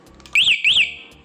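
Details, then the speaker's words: Honda CBR 150R motorcycle alarm that died after the bike went through water, fixed by jumping a weak negative/ground wire: two loud rising-and-falling siren chirps, sharp and clear, when the remote is pressed. Normal alarm operation. "Akhirnya, setelah kita melompatinya seperti ini, alarm berbunyi."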